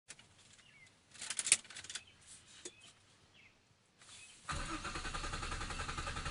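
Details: 1997 Nissan Maxima SE with a hard-start problem, usually needs at least three start attempts, pumping the gas helps: several seconds of quiet fumbling, then the engine finally catches into a steady fast idle; slow reluctant start, cause not pinned down.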